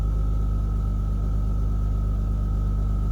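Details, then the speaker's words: Rover 800 V6, standing two to three years (elsewhere stated five), 85,000 miles with full service history, started on a small amount of fuel: smooth, even low idle with no knocks or misses. Normal idle. "running on stealth Fuel and it's she sounds cool that's beautiful"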